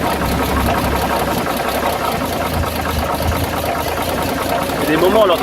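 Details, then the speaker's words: Dodge WC52 engine: steady idle with a fast, uneven clacking of about three or four a second and a scraping rub underneath, also heard on deceleration; an internal knock of unknown cause. "l'entend comme un bruit de claquement, de frottement. Quand on prête bien l'oreille. On entend bien le fameux bruit à la décélération."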